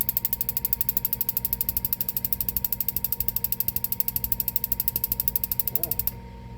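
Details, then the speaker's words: Furrion gas cooktop/oven in a DRV Mobile Suites RV: rapid even ticking about ten clicks a second, then stops; igniter sparks but burner never catches, no gas flowing. "maybe not let's go make a liar out of me"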